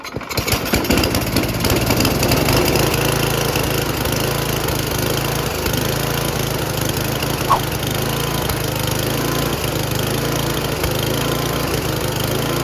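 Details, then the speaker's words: Free Noma/Murray Snow King 27" dual-stage snowblower, 9HP Tecumseh, on a chilly day after its HIPA replacement carburetor is fitted: the single-cylinder starts and settles into a steady, fast run with no misses or knocks. Normal running; the owner finds top speed too high and wants it lowered. "there you go carburetor works great uh throttle when you put it all the way up it's really high you know so i want to kind of lower in and adjust a little bit"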